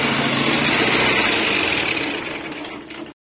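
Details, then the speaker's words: 150cc motorcycle: fast, even metallic rattle clattering steadily with the engine, which many mechanics mistake for rod knock but is a loose cam timing chain; fix is replacing the chain. "Vocês acabaram de ouvir o barulho dessa moto aí pessoal um barulho estranho feio e tem muito mecânico que dizer pessoal que isso aí é a moto tá batendo biela mas eu vou mostrar nesse vídeo para vocês né que esse barulho aí pessoal feio na moto é corrente de comando"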